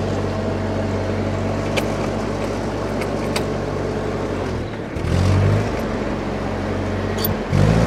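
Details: Old Ford 8N tractor (circa 1948–52), being driven, previously hard to start: steady, even low drone under load with no popping or cutting out; running smoothly.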